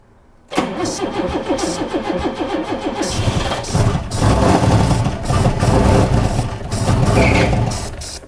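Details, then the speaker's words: Late-1980s turbo-converted Vauxhall four-door, not driven in decades: slow uneven cranking, then it catches and runs unevenly, but only on starting fluid sprayed in. Fuel delivery is suspect. "right so that started yeah hate to St the obvious you're running that on like starting fluid aren't you yes"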